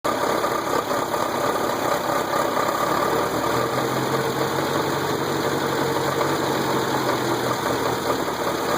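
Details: VW engine at steady idle: faint regular knock in time with the engine beneath; lower-end knock, owner suspects rod knock, unconfirmed.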